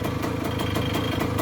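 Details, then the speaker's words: 1985 Kawasaki KE100 two-stroke, sat many years, idling in neutral: light, quick rattle riding on each beat of a steady tickover; source not pinned down, needs investigation. "but is that little rattle coming from somewhere"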